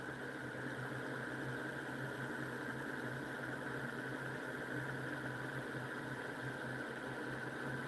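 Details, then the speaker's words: Homemade pulse motor, nine-magnet electromagnetic rotor with coil, reed switch and transistor, spinning fast: steady electric hum and faint whirr, even and smooth, no knock; running healthy. "Woo! That's going pretty fast. Oh, that is so cool."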